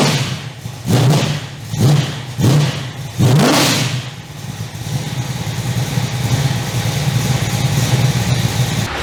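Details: 355 stroker V8 in an HX one-tonner, first start in about 11 years since dyno run, on fresh 98 fuel; four short cranking bursts, then it catches and settles into a steady, even idle with no knocks or misses.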